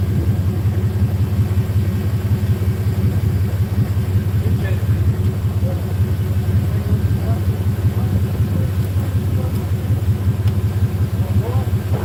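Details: 1997 Chevy Silverado just jump-started: steady, deep, even idle with smooth low rumble and no knocks or misses; engine running fine.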